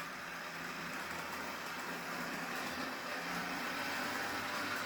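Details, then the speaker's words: Bachmann Spectrum HO-scale model locomotive bought untested at a train show: thin, steady motor whir with a faint hum and no knocks. It runs smoothly but louder than the owner expected, and he is unsure if that is normal. "seems a little noisy i don't know if that's normal for a bachmann spectrum but we got a working headlight and it seems to be running pretty good"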